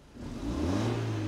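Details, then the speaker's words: BMW E46 compact, 2.0 N42 engine, after swapping a bad ignition coil for a known-good spare: engine climbs smoothly from idle into a steady rev, pitch rising evenly with no stumble, pop or miss; running clean on all cylinders. "yep runs like a baby well a baby that started walking or running"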